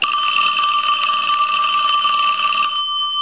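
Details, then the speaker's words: Western Electric Princess telephone after checkout and repair, ringer tested at lower voltage: a steady bright bell ringing at constant pitch that ends cleanly, normal ring. "and what we will do here is reinstall the belt but we're going to go ahead and ring it and then we're going to answer the phone"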